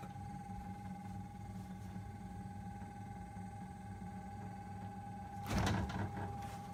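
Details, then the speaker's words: Brand-new Samsung RB31FERNDBC fridge freezer, turned on after settling hours following delivery: steady loud mid-pitched drone over a low rough hum, then a brief clatter; owner suspects a fan with failed bearings or hitting something; unit being replaced. "so I had it on for a while and it didn't stop making this noise sounds like it has a fan in it and the bearings are gone or is hitting something"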